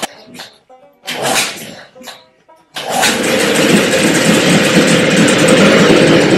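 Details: 1973 Evinrude 9.9 hp outboard after carburetor cleaning, pull-started: rough bursts that die out, then it suddenly catches into a steady busy run; hard starting, cause not confirmed.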